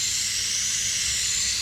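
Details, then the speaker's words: Leak-down test on cylinder 1 of the Backbreaker's motor: 100 PSI in, only about 58 PSI held, roughly 40% leakage, with air heard through the crankcase. With a part pulled off, a steady, strong, unbroken hiss of escaping air, engine not running. "Well, guys, this is definitely a problem. So we pulled this thing off, and you can kind of get in here and hear."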